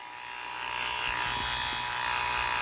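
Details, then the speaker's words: 12-volt pressure washer pump drawing from 1.3-gallon gas can on RZR 800: steady electric buzz with thin fixed tone growing slightly louder as it slowly primes, water coming little by little. "it's coming little by little let me put this this doesn't matter where this is up or down right now uh it's just taking a on this side and now she's priming and everything there we go"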